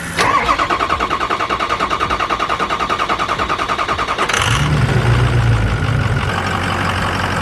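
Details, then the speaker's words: 6.0 diesel truck after replacing injector number four, following rough idle and stalling; starter cranks about four seconds, then it catches, flares and settles into a smooth, even idle with no stumbling. "when we got done and started it and we ran it a little bit yesterday it sounds so good it sounds so much better um it drives great"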